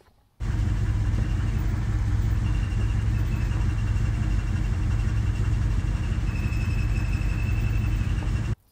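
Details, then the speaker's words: Triumph Stag idling: steady engine rumble with a faint, thin, near-constant high whine. Owner suspects clutch whine, worse with the pedal pushrod pin moved to the lower hole (more clutch pressure), and possible air in the hydraulic system. "I've just played a little bit of video or about to play a little bit of video hopefully um where you can hear the clutch whining"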